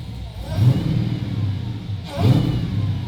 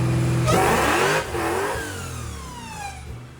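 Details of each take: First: Nissan 350Z with a swapped 6.2L supercharged Hellcat V8, fitted with a more aggressive cam, smaller supercharger pulley and locked cam gears, warm: two clean rev blips over a deep steady idle with no knock or tapping left; sounds healthy. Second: Hellcat 6.2L supercharged V8 swapped Nissan 350Z on dyno after aggressive cam, smaller blower pulley and ice tank: loud pull sags and falls away mid-run; blower bypass valve opening, suspected throttle position error.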